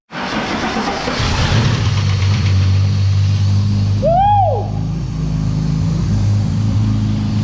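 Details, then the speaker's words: Ford AU engine's first start after the harmonic balancer went on, before the reseal and new water pump: catches and settles into a strong, even low rumble with no knocks or rubbing noises, sounding healthy. "right sounds all right sounds like an engine number one damn good"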